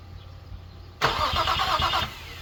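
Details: Infiniti G35 after an engine fire, first crank after a new alternator, reconnected starter and power wiring, and three blown fuses replaced: about a second of quick, even cranking, never fires; owner suspects two cylinders lack spark, raw fuel smell.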